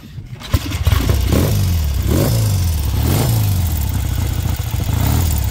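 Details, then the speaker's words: 1968 Triumph T100 Daytona twin. It catches quickly, then blips cleanly up and back down several times with crisp response and no clatter; a healthy running engine. "it's obviously still a bit cold um so I want warming up I will fire it up again so you can see it ID"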